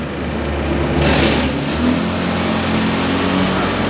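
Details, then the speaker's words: Honda motorcycle read on an MST autoscan: at around 1700 rpm the mode value is unstable and the ECM correction reduces fuel, so the engine stumbles and is bogged on initial throttle, with revs climbing slowly rather than snapping up. "Dari akselerasi awal, mesin itu terasa bek, ada suara nggak enak itu loh. Nggak seperti loncatan, ibarat orang loncat itu cepet. Jadi ada jeda yang menghalangi atau beban berat yang menghalangi."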